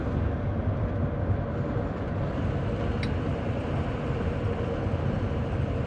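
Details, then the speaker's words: 2004 Ford F250 6.0 Powerstroke diesel, early engine, after ICP sensor and pigtail, IPR harness and EGR valve reseal, road test: steady diesel drone, no smoke, miss or converter-lockup shudder; suspected sticky injector when cold; normal running. "there's no smoke no smoke is always a good seems to run good too it doesn't seem to miss"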